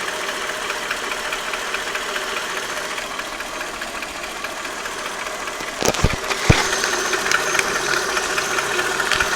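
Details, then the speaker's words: Mercedes S430 W220 M113 petrol V8, warmed up at idle: faint regular knock about two beats per second on left side, absent when cold, goes away with slight throttle; persisted three years despite oil changes and a new harmonic balancer. "When cold, on the cold start, there is no knocking noise, but as soon as it gets warmed up, you'll hear a slight knock on the left side."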